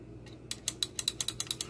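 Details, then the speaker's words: GE microwave JVM3160RF3SS door interlock switch pressed by hand: about ten crisp sharp clicks, meaning the switch works; another interlock switch was bad and tripped the breaker when the door opened. "now you can depress that and it makes a click clicking noise you can get a good impression as to whether that switch is working so"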